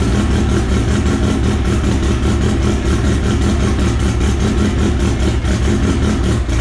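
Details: Engine start and idle of the AWD EG hatch on an M&W Pro Drag 4 ignition, after fixing the missing ECU ground; steady, even idle with a smooth beat and no misses, knocks or ticks: normal idle.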